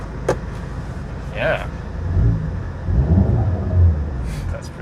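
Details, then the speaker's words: Auction car idling with an aftermarket exhaust, with an intake flutter noted. A low, soft exhaust rumble with door and window clicks; not too loud, no drone or rasp, a healthy moderate exhaust note. "that's actually a really nice exhaust it's not too loud it's not doesn't seem droney at all"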